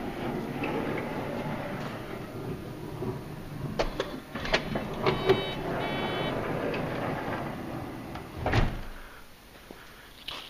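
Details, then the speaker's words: Honda Odyssey van power sliding door, first try after latch reinstalled during repair: motor hums through its travel, then uneven clunks with no solid catch. Latch not locking or releasing properly. "nope see something's not releasing in this latch it's not uh it's not locking or releasing properly"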